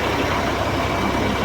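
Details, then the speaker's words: Roller wheel bearing that squeaked, now only repacked with grease and the squeak is gone. Even rolling rumble with road noise, no squeal or whine; normal wheel bearing. "roller bearing. Nirepack lang. Okay na."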